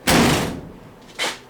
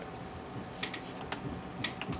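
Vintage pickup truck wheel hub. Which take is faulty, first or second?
second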